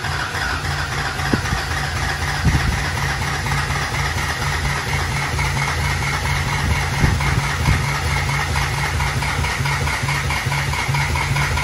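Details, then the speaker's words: Newly built SoCal Diesel twin-turbo 1,000 hp Duramax on its first fire-up: rough, lumpy diesel idle that keeps chopping, with uneven stumbles and odd knocks. It misfires because the injector harness doesn't match the firing order. "he was definitely on the person no this thing should not sound like this this sounds something is seriously goofed up"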